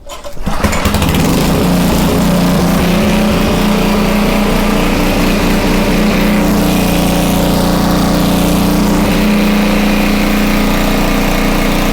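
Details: Homelite 2500 W generator, no load: steady even drone, no hunting or missing; normal no-load running, speed could be a little higher but pretty decent.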